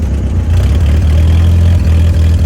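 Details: Deep, lumpy idle with a couple of brief stumbles on a newly acquired Willys Flat Fender Jeep; a weird noise is present but its source can't be pinned down.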